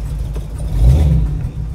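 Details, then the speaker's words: Carbureted LSX V8 in a Chevy blips up and settles back, its deep rumble carrying a loose, puffing edge from an audible exhaust leak. "get that exhaust leak y'all can hear"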